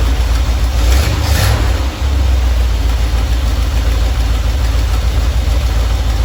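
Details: Normal idle from either the 1977 Ramcharger 440 or the 1968 D-100 318 being revived: a deep, even V8 rumble with no misses, ticks or knocks. It runs at about 800 rpm with timing about 3° ATDC, at 185°F operating temperature, before a compression test.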